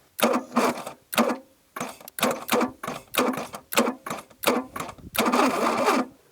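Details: 1982 Plymouth TC3 (Horizon), unstarted for 32 years, oil still in the cylinders: slow, uneven starter bursts, about eight heavy surges that drag and stall; owner suspects it needs more oil cleared out.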